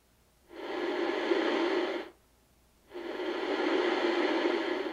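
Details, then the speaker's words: 1970 Inoue IC-2F crystal-controlled 2-meter mobile ham radio: receiver hiss bursts swell and fade gently because analog squelch mutes slowly rather than switching; normal analog squelch, volume control dirty. "it's an analogue squelch the squelch is not actually turning a circuit on and off it's muting it out slowly"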